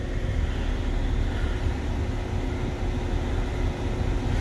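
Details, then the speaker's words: BMW (N55, 5/7 Series) cooling fan running continuously at full speed with a constant heavy rushing drone after warm-up; overheating caused by a failed electric coolant pump. "now check all of these one by one before we you know jump to any conclusions and we know the fans working because we can hear it"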